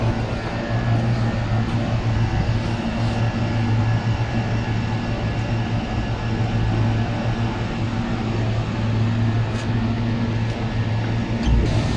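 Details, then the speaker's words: Air conditioner blower after tightening the loose belt that caused the whistling noise: smooth even low hum with no squeal or flapping, belt noise gone, normal running. "अभी sound चला गया है sound था वो belt का sound था belt loose होने की वजह से यह साउंड आता है"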